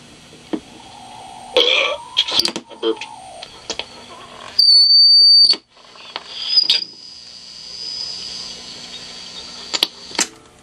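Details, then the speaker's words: 1940s Standard Business Machines model 160 Magnescriber Deluxe wire recorder, dynamic-microphone test: thin high whistle comes and goes among clicks and handling noise, the amplifier oscillating. It sometimes nearly goes away; owner suspects a bad solder joint. "so I'm thinking there's a bad soldering going in there"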